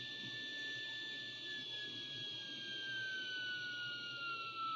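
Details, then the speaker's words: Braun T1000CD receiver, BFO alignment with a 455 kHz carrier fed in: clean whistle beat tone slides steadily lower as the BFO is tuned toward the IF frequency, then rises again when tuned past it. "getting closer so the difference is getting smaller so the tone is getting lower in tone up the other side again so I'm going too far so I need to get a back to where it's supposed to"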